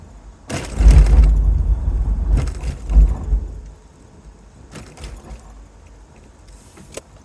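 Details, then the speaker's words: Toyota Solara convertible with bad struts on all four corners, driven over road steel plates before repair: heavy thumps, squeak and loose rattle with shaking at the front; owner hopes new struts and sway bar links cure it. "I'm going to give her some gas boy is that the front I sure hope that's the front that's squeaky"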